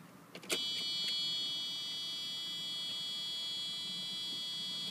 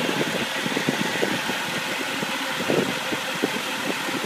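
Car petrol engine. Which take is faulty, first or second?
first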